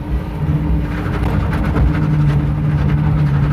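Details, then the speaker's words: Tire chirp from a welded differential as the car creeps through an extremely tight U-turn at low speed; steady low engine hum with repeated short chirps, barely felt in the car, not bad at all. "As you can hear, it's chirping quite a bit, but I don't really feel much of it in the car. It's not bad whatsoever. It's almost just like driving a little like a normal car, but you got a little noise from the differential."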